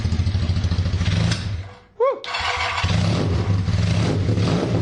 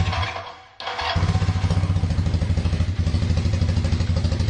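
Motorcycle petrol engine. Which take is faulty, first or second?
first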